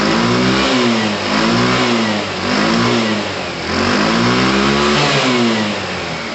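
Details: Tamoretti with replacement carb warming up before a test run: small single revs up and settles in repeated blips about once a second, crisp and even, no misfire; carb fuelling sounds healthy.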